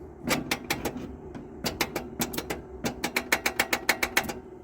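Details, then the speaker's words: Mercury sitting abandoned 13 years, freed-up engine, fuel line disconnected, borrowed battery. Rapid bursts of sharp clicks, five or six a second, and the engine never properly turns over: slow cranking, weak battery. "that sounds like a dead battery though so let's try one other thing yeah that's what we're dealing with it just hasn't got enough power to crank it over"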